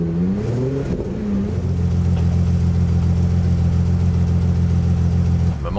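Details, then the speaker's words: Aston Martin DB7 5.9 V12 with optional exhaust fitted, before fuel tank removal: engine rises then holds steady revs, but the note is uneven and hollow, like a V10 with cylinders dropping out; fuel-starved misfire from supply fault. "La sonorité de ce V12 libérée grâce à la pose de l'échappement optionnel récupéré dans le sud. Là vous entendez bien le V12 qui commence à muer en V10."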